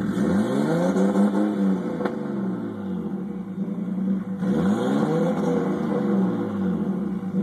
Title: RB20DET rough idle